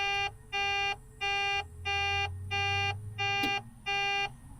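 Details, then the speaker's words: Mack truck losing fuel prime, engine off and key off with plenty of air pressure: steady beep-beep alarm about one and a half tones a second keeps repeating; some warning active, cause unknown. "I don't know what that noise is making. Is it low air? No, we have plenty of air. Started making this noise earlier when the key was off and I was outside the truck working on it. And it doesn't stop when I turn the key off."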